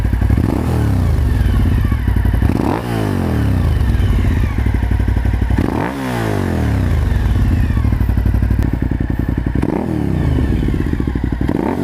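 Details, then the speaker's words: Suzuki SV1000S V-twin just after installing a Danmoto JISU muffler: deep, lumpy idle with a few quick throttle blips rising and falling cleanly, even firing; owner is happy with how the new exhaust sounds. "So that's what it sounds like, and you can hear a little bit of it going down the road too. Pretty happy with it, it sounds good."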